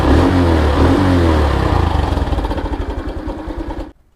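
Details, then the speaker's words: Honda Wave 2021 at about 12,000 km, loose cam chain: engine clatters with rapid metallic rattle over idle after cam chain tensioner replacement, then shut off; ticking persists, owner advises tilting bike for oil or riding a while. "มาลุ้นกันว่ามันจะยังดังแกกๆๆๆเหมือนเดิมมนะครับลองสตาร์ทดู54321โเคนะครับก็เป็นที่ชุดกระบอกดันโซ่แล้ว"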